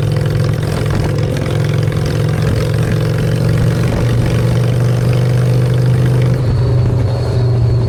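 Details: Honda Shadow V-twin after a custom makeover with custom exhaust, choke out, in neutral: a deep, steady burble holds even with no misses or knocks. Normal idle.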